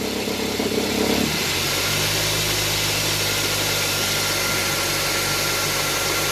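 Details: Idle with a light, uneven chatter and hiss from the belt side of the engine; chatter worsens with the automatic shifted into drive or reverse as the worn accessory belt tensioner bounces, fixed by replacing the tensioner.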